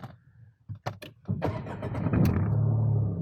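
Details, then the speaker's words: Car cold start following stepwise push-button start with clutch pressed: few clicks, short crank, catches cleanly into steady, slightly fast cold idle above 1000 rpm with slight rumble and vibration; normal cold start. "R engine কিন্তু ঘর ঘর করে একটু আওয়াজ করছে শুনতে পাচ্ছেন কিনা জানিনা"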